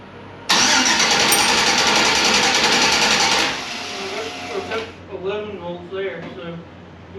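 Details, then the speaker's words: Engine with injectors commanded to fire: steady, even cranking for about three seconds with no firing. Crank-no-start; injectors suspected clogged. "injectors are being commanded to fire if the spark plugs are firing the fuel pressure is correct and the injectors are clogged"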